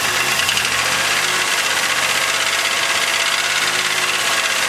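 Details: 2000 Chevrolet Malibu 3.1 (3100) V6, 90,098 miles, warm idle: steady, fast light knocking over a harsh, hissy note, from the bottom end; owner suspects piston slap, thicker oil and a flush didn't help.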